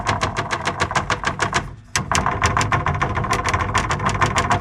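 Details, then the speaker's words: Airstream water pump with an intelligent pump control module: rapid hollow clattering at about three raps a second over a steady pump hum; PEX lines hitting the fiberglass shower wall, to be damped with pipe insulation. "when the water pump is running it sounds disconcerning but really all that is is the PEX lines hitting against the fiberglass of the shower wall"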